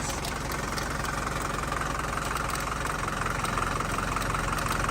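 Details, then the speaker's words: 1981 Mercedes 240D diesel, sat about 15 years, first start with a new battery and fuel: rough idle with a steady, fairly quick clatter, knocking, some blow-by noted; source of the knock not yet located. "oh my God yeah they don't sound the greatest I mean man just needs to get oil to it it's fighting now"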